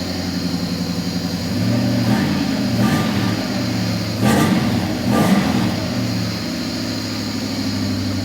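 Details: Nissan Laurel with swapped VH41DE V8, first start on newly configured ECU, timing checked about 5 degrees after TDC: even steady idle burble and three quick clean blips, no misfire or knock; engine sounds healthy.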